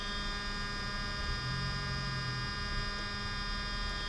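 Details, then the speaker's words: Mercedes 600SL ASR throttle actuator, repaired with gears lubricated, ignition on: steady metallic buzz with a fine high hum, normal operation. "you can hear this metallic noise that's good that's the way suppose the world"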